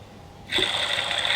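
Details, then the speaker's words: Tigershark TS1000R jet ski engine, crankshaft removed and bearings hand-spun: a dry, gritty, high-pitched whirring rasp instead of a smooth quiet spin, a worn/bad crankshaft main bearing (rod bearings good). "Got the crankshaft out and it's not quite in the condition I was hoping. Let me show you. That's a bad bearing."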